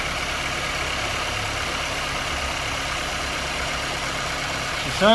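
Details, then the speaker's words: KIA Sportage 1.6 petrol T-GDI idling after an oil change with a new sump plug crush washer; even steady hum with no knocking, rattles or misfire, runs smoothly with no leaks. "Sounds good, and there are no leaks."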